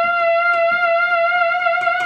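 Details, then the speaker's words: Vintage ARP Pro/DGX analog synth, restored Pratt-Read keyboard, after replacing dead aftertouch sensor, touch sensitivity slider raised: held note wavers in pitch as key pressure increases; new touch sensor and pitch bend working properly. "the pitch bend gets more pronounced as we apply pressure. So the new touch sensor is working."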